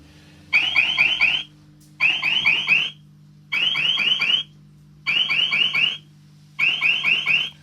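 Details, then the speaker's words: Arcade machine powering up: bursts of rapid high chirps, about one second on and half off, repeating steadily, the start-up on-off alarm. "Is this thing starting up? Oh, yes. Oh, the on-off alarm."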